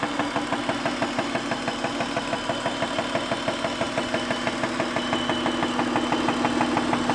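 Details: Acura at idle: sharp, even ticking about three per second over a steady idle; engine ticking at idle, cause unknown, possibly valvetrain.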